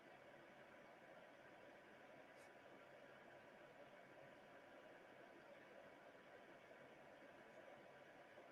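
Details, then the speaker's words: xTool F1 dual laser engraver (2 W infrared, 10 W blue, up to 3000 mm/s) engraving a hand-sized print in under about 65 seconds: faint, even hum with steady fan tones, no clicks or grinding; normal operation. "let's time it how fast this is to engrave something as big as this print right here as you can see super fast"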